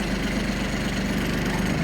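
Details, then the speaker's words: Kubota Aste A-13 diesel mini tractor with 756 engine hours, started after the glow plug lamp goes out: starts perfectly and idles with steady, even diesel clatter, no misses. "Ждём, пока погаснет лампочка накаливания свечей, и заводим. Трактор заводится идеально."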